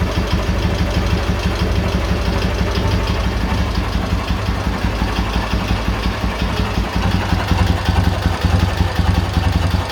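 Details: K-750 twin after timing gear replacement (four crankshaft gears changed), ignition fed directly to coil: steady low even idle, earlier knock gone; gearbox unopened, possibly worn but all gears work.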